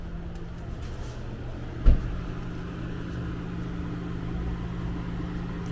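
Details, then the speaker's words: 2015 Genesis G80 5.0L with ignition off: steady low hum of the radiator fan still running, one clunk partway; fan won't shut down, bad ECU suspected since fan stopped when ECU connector was unplugged. "off ignition the fan is still working like I said this is one of the indications that the ECU uh is bad"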